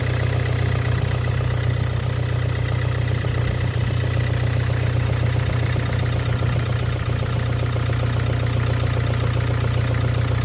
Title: стук на холодную.